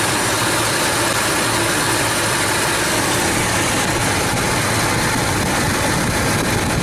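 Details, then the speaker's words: 1997 Ford Expedition engine running after replacing a worn serpentine belt, camera up close; steady, even idle with no squeal or chirp, sounding better than before the repair — normal idle with healthy belt drive. "I'm going move the camera up close where you can hear it and we'll compare it to the way I sounded before on the Bel I'd say it sounds better"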